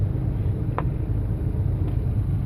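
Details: 2005 Hyundai Sonata 4-cylinder, about 130,000 miles, deep uneven lumpy idle rumble with heavy vibration: rough idle from a failing fuel injector; replacing all injectors advised.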